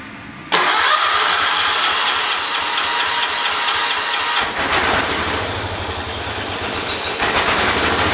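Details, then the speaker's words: John Deere 212 tractor engine after new carburetor gasket fixed a leak: fires and races to high, strained revs with unsteady dip; won't run unless choked. "it was starting up and running just fine and then all the sudden I fix a leak and it's blowing carburetors and huncle incorporated - revving up real fast"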